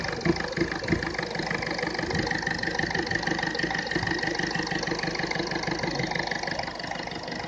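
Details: Ford Fiesta 1.4 diesel running rough at idle: uneven pulsing clatter about three beats a second with a stumble; faulty fuel injector, number one identified using an infrared temperature gun.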